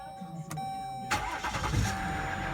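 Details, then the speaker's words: 2018 Jeep Grand Cherokee after repairing the crankshaft position sensor wiring for code P0336: short crank, then the engine catches right away and settles into an even, steady idle with no stumble. "the moment of truth i'll crank it and it's running voila and the vehicle is running"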